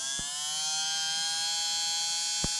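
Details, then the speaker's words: Renault Trafic Mk3 (2014, 1.6, manual) windscreen washer pump: new replacement pump bench-tested after old one was silent and dead; bright, steady high-pitched buzz, motor spinning strongly and healthy, normal washer pump operation. "Yeah, that sounds more like it. That sounds a bit more positive, doesn't it?"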